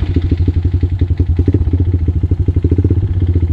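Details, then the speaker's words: Honda Recon ATV with new big bore kit, clutch kit and 31-inch Silverback tires, cold start: quick even clacking about ten a second over a low single-cylinder thump; owner suspects piston slap until the engine warms up and the rings swell. "you hear that on crank up the little clack, I'm pretty sure that's just a little bit of piston slap going on until it warms up a little bit, probably until the piston rings swell, I'm guessing."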